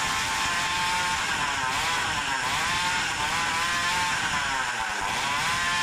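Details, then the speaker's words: Samurai 40cc modified two-stroke with exhaust installed and ignition advanced about 20 degrees, worn crank bearings with lots of play: high buzzy scream bouncing off a ceiling near 10000 rpm; seems rev-limited at the same rpm as before, cause unconfirmed. "now I installed the exhaust, let's try now it still is limited at about 10000rpm but before that sounds quite happy"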